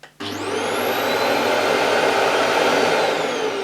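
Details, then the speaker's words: Vax Air Revolve Pet bagless cylinder vacuum cleaner, new, switched on from the handle switch, on maximum. It settles into a smooth, even, fairly low-pitched roar with no knocks or rattles, a normal running motor. "I must say it's not an unpleasant sounding vacuum it's a quite a low pitch"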